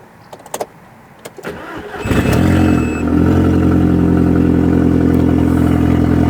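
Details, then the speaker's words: Crash-damaged Audi TT being rebuilt, with new catch can and induction kit, first start after parts wait, out of gear on axle stands, no exhaust fitted: cold-start cranking, hesitant catch, then loud steady idle; no rocker cover gasket leaks; engine cranking and starting. "She's back to life. No leaks from the rocker cover gasket. It's calmed down now. A bit loud from on that cold start, but it's gone quiet now."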